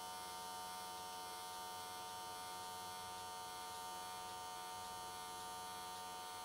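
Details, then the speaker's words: AC TIG welding S13 catch cans, likely aluminium, on square wave at 95 Hz with adjusted settings: even, steady electric buzz with no crackle, sputter or wander; normal, healthy AC TIG arc. "i think 95 hertz on square wave was a pretty good choice"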